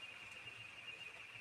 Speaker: That's that IC4 that whenever there's a short, it goes off.